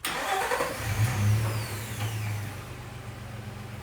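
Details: Nissan Xterra engine catches and settles into an uneven, lumpy idle after a first fix failed; owner then swaps the coil pack. Cylinder misfire codes P0300/P0302, power loss on highway acceleration, from a failed ignition coil.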